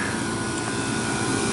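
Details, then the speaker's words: Smooth steady hum with a faint constant tone, no knocks or rattles, as a pizza-unit refrigeration compressor starts after head pressure fan control replacement, leak check and dry sight glass; cut-in being set near 250; running normally. "Compressor started up,"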